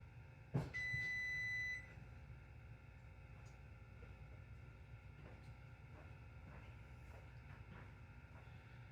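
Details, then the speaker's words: Whirlpool double oven, top oven set to Bake at 375°F: a single long, steady, high-pitched beep of about a second over quiet room hum, signalling it has reached preheat temperature; preheat complete beep. "right, you heard it go. So that is how you preheat a Whirlpool oven."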